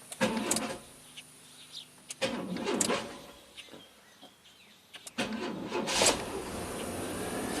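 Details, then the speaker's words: 1991 GMC Jimmy 4x4: short bursts of sluggish cranking with pauses, with the lights on. Battery voltage drops from 12.6 V to about 9 V while cranking. The weak battery is suspected to have been repeatedly discharged by a parasitic draw. "okay so not terrible but I'm suspecting that the parasitic draw has discharged his battery in the past exactly like we saw on the Mercedes SLK"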